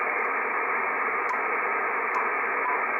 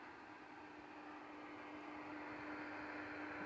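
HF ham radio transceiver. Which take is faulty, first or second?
first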